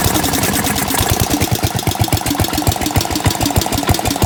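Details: Gravely 816S with 16 HP Briggs single-cylinder and Chinese replacement carb, first start after a month, rigged ignition: regular, even low thumps at steady idle, no misses, surging or knock; healthy.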